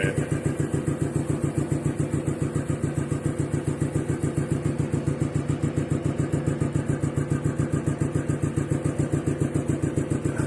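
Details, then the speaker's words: DeVilbiss 445 air compressor running: steady low thump on every stroke from the intake; intake thumping the owner is trying to quiet. "if I got rid of that intake pumping this would be well if I got rid of the intake pumping I think the electric motor would actually be louder than the compressor itself"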